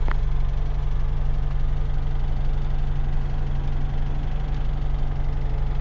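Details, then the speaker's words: UZAM 1.5 engine with about 1,400 km since rebuild, valves adjusted at 1,000 km, knock appearing after 1,200 km; chain rubs the chain damper; started with a little choke at 1500 rpm: steady idle with a faint regular tapping, about three per second; knock cause unclear. "Как будто где-то что-то висит и что-то стучит. По тахометру 1500."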